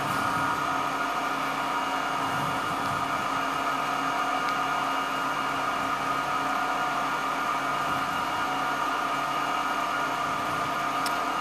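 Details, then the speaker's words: 1924 Alexanderson alternator at SAQ Grimeton at operating speed for a 17.2 kHz transmission, motor voltage brought from 2,100 to about 1,900–2,000 V to hold motor speed, which sets the frequency; smooth constant high whir with steady mid hum, no wavering or knocking; normal. "You hear that very much is about controlling the motor speed, because the frequency is directly related to the motor speed."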